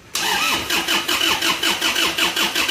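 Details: Isuzu Panther diesel from Rembang, first start after rebuild for blow-by with cast cylinder liners: brief crank, catches at once and settles into an even, steady idle. Healthy start.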